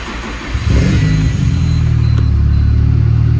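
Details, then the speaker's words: Turbo Nissan Silvia S14 Rocket Bunny with wild tune, completely cold start (kept indoors): brief crank, fires at once into a strong steady low idle with no misfire before its cold tune goes lumpy; normal cold start. "Now when this gets its cold tune, it starts to, really get lumpy. So right now it's fine."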